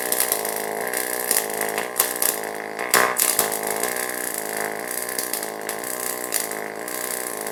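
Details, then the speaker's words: YesWelder DP200 double pulse MIG welding 16 gauge steel: steady welding buzz shifting between higher and lower tone about once a second, normal double pulse arc, good weld result. "Okay, so let's move on to the double pulse welding. Again, I've got the 16 gauge steel here, and I'm going to double pulse MIG weld this. And again, pay attention to the sound while I'm welding."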